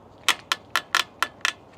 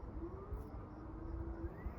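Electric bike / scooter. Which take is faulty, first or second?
first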